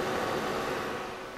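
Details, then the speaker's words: Old desktop PC with side panel off: steady airy whoosh with faint buzz; loud fan noise mostly from the power supply, with some CPU fan and large video card noise, before PSU replacement. "but there's quite a buzz coming through there, a lot of air noise. I think it's mostly the power supply."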